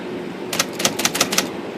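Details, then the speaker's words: IBM Selectric II rotary backspace after primary backspace adjustment, previously stalling in 10 and 12 pitch: held key gives six crisp, even clicks under a second, powering through without stalling; normal backspace operation. "I'm holding it now and it's powering right through"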